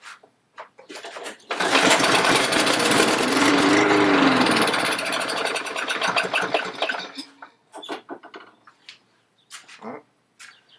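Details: Lawn mower that stopped mid-mow, with compression and fuel present: catches on the pull, revs raggedly a few seconds then dies; suspected water in the carburettor bowl starving it.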